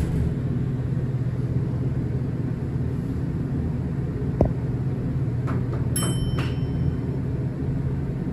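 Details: Horizon hydraulic elevator at Rye City Hall, Rye, NY, installed 1964: loud steady low rumble throughout the run with a sharp clunk midway; very noisy, shaky, rough ride, cause unknown.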